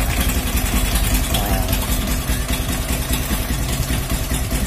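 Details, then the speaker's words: Motorcycle (CUZ) after cleaning dust from the ignition magneto/coil and refitting the airbox hose: steady, even low idle putter, earlier ticking noise gone; timing turned down slightly as it rises when hot. Normal idle. "Memang cun-cun. Ha. Bunyi tape pun dah hilang dah."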